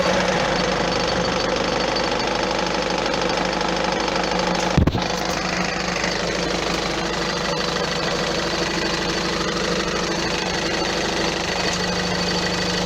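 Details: Peugeot 407 1.6 HDi 110 diesel idling after acceleration: loose, uneven knocking clatter about two beats a second; cause unconfirmed, car due for flywheel replacement.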